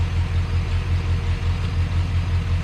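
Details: 1985 Chevrolet C30 crew cab dually with a 6.0 LS swap, after a large vacuum leak was fixed and plugs fouled by a bad fuel pressure regulator were dealt with, has a deep, even V8 idle with a steady low throb and no stumbles or misses; it runs smoothly.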